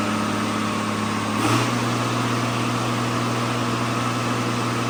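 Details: John Deere tractor with a swapped-in excavator diesel engine, first runs after the swap: steady, even idle around 1100 rpm, smooth low drone with no knocks or clunks; sounds healthy.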